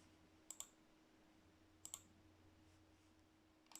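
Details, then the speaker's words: 1TB external hard drive removed from its enclosure, connected via USB for data recovery, not showing in Explorer; paired clicks every second or so, irregular, over a faint hum. Failing drive, heads clicking. "see as you can hear is still clicking now and again so like it's in a terrible state"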